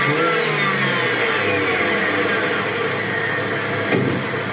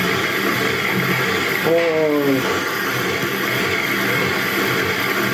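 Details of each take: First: BMW 318ti petrol after replacing faulty MAF sensor (codes 2E95, 2D0F), which had caused unstable, high idle; revs fall cleanly to steady idle below 1000 rpm with no hunting and rev normally: normal idle and revving. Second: BMW 318ti petrol engine with fault codes 2E95 (DME/alternator) and 2D0F: fast idle with a wavering hollow drone that never settles; unstable high idle from a faulty MAF sensor, one replaced months earlier.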